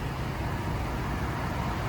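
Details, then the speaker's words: 2010 Chevrolet Avalanche, 130k miles, warm after idling a while, heard in the fender well: steady, even low rumble with no ticking, missing or shaking; normal healthy idle. "but no ticking no smoking no quivering of the tailpipe"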